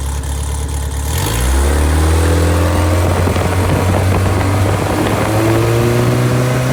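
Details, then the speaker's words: Freshly rebuilt engine FM95049UCE, good compression, oil pressure and water temperature: pulls up from idle to a steady higher speed, smooth and even with no knocks or misses; healthy engine after rebuild. "I think you just have a really good solid engine here with some performance. I think you'll notice a huge difference."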